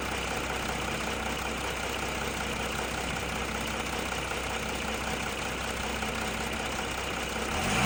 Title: Audi a4 272 tdi ticking sound